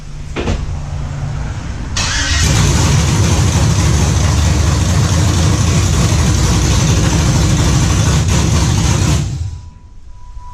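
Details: '91 Camaro Z28 with swapped built 5.3L LS truck engine, Holley Sniper EFI, MSD ignition, Texas Speed cam, first start after fixing a badly crimped wire: starter cranks briefly, V8 catches into strong even rumble; normal start.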